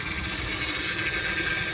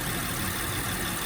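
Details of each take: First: 2007 Honda Pilot at idle, engine running: steady high-pitched whine over the idle, unchanging; power steering pump whine from low fluid due to a fluid leak. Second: 2007 Honda Pilot engine idling after topping up low power steering fluid: the whine from the pump drawing air is gone, leaving a steady idle with a rough hiss. The pump is working properly.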